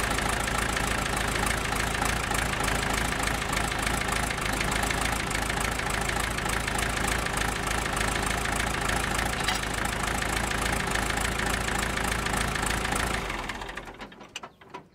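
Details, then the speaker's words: 1965 John Deere 450 after tensioning the alternator and water pump belt to about 1/2 inch deflection: smooth, even idle of about three pulses a second, no knocks or belt squeal, then shuts down; runs well. "Man, that thing runs good."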